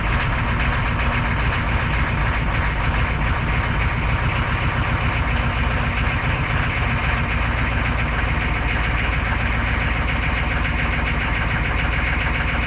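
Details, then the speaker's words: UPS delivery truck diesel after fuel injection pump module replacement, fuel system primed and glow plugs warmed: a steady, even diesel clatter at idle with a smooth low rumble, no misses or knocks. "sounds a lot better when it's running it sounds a lot better as well"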